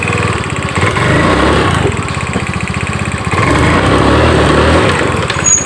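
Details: Honda Scoopy-i scooter that stumbles badly and won't pull when throttled: uneven, stumbling putter near four beats a second; spark plug cap suspected to have come off the plug and to be arcing, causing misfire.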